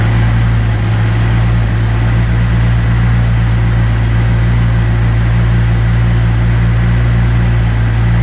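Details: Engine just after fuel injector replacement with OEM-spec injectors: idled high briefly then settled into a deep, smooth, steady idle with no stumble, miss or tapping, no fuel leaks; normal idle.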